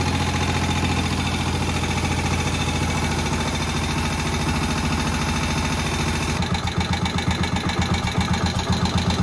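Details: Moto Guzzi single revived after about 40 years: slow, loping thump about two beats a second, steady and even. Healthy low tick-over, still to be adjusted.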